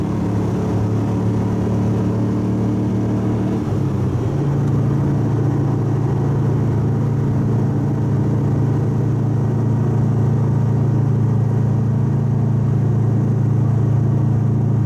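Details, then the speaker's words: Subaru wagon with a new Lukey Turbo muffler replacing an X-Force straight-through, cruising: steady deep drone that settles lower after a shift, no rattles or blows; quieter at low revs and low load. "It was quieter during the cruising, low revs, low load, but when I wound it up on the on-ramp, I think it's exactly the same as the old one."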